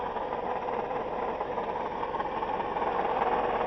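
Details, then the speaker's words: Toyota Highlander 2GR-FE V6 idling with a steady whirring rumble and fast, uneven ticking. The noise disappeared with the belt removed and one idler was already replaced. A worn water pump bearing; replacing the pump cured it. "с этой стороны. Похоже на шум помпы. Вчера ремень скидывал, шум пропадал. Значит, шумит или помпа, или ролик."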